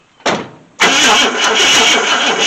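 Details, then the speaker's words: 1966 Ford Thunderbird with FE 390 V8, dormant for 13 years, after the ignition contacts were cleaned: a click, then rapid, even cranking with a steady compression rhythm but no firing. Crank, no start; compression sounds even and a lack of spark is suspected, not confirmed. "i hear the compression they're all moving like they should that's all to me okay that point doesn't run i'm not entirely sure we're getting fired"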